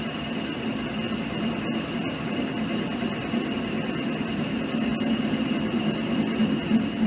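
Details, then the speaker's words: Clausing/Harrison M250 lathe at about 240 rpm with a reverse parting tool holder, imperfectly mounted. A loud steady cutting roar has a droning low-mid hum building as the cut deepens; the resonance and dynamics change going in: parting tool chatter. "i feel a resonance coming on [Music] it sure seems to change dynamics as we get in"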